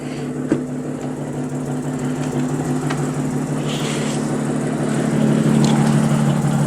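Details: Audi S4, running catless with an exhaust leak, probably near the flex pipe, idling in neutral: lumpy uneven beat with occasional stumbles; coils and spark plugs need replacing. Engine misfire at idle.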